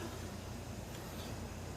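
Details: 1963 GM PD4106 bus conversion, diesel, first start after two weeks sitting, with a second 8D battery added for starting power: steady, even low diesel rumble with no stumbling or dragging. Normal cranking and start.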